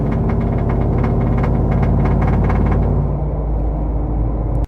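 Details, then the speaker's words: Truck with a Boss 302 intake manifold and new injectors, accelerating hard under load: a deep drone with a loose, buzzy rattle from the back of the intake. It is absent when revved in park, so owner suspects something rattling against something. "Uh rattles quite a lot. Uh you can hear it from inside, outside the truck."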